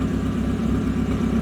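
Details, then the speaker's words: VW Jetta Mk5 with swapped 2.0 TDI BKD diesel, straight-through exhaust, just started cold: steady idle with loud droning low rumble and constant hum; loud idle noise, owner hopes it isn't the turbo, also squeaky belt and smoke until warm. "As you can hear, yeah, it's loud on start up. And that's what I'm getting at the moment."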